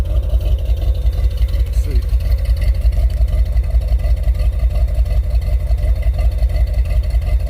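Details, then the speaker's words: Truck after test drive with transmission up to 150; deep steady idle about 167 beats a minute, mostly even with faint unevenness; idling better, air-fuel still a little rough. "sound like it's idling a little better air fuel is still a little bit rough but let's see what it sounds like out there it sounds a little bit better"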